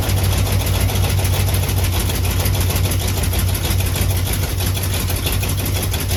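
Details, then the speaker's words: Jeep with a rare AMC 327 V8, idling at about 30°F while warming up after new exhaust manifold gaskets; the formerly severe exhaust leak is gone and the idle is even, much quieter, with no puffing. Now an obvious engine knock is audible. "It's definitely quiet. You can hear it now. It's way, way quieter."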